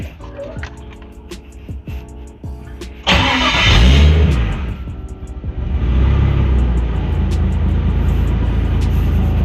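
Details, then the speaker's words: Nissan RB25DET Neo after replacing squeaky stock alternator with LS1 alternator (CWC kit): cranks, catches, revs, settles to even idle with no belt squeal or chirp, no wobble; normal engine start. "Well, we don't have any squeaking. Looks like the belt is there. Not seeing any wobbling. There's no squeaks going on."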